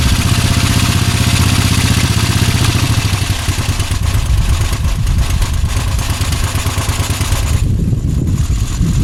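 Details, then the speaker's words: Moto Guzzi V-twin cafe racer, microphone moved to the back of the bike, runs with a deep, loud, lumpy beat at a steady idle, no knocks or rattles; normal running. "right okay there you go and so there it is running and hopefully the mic picked up the"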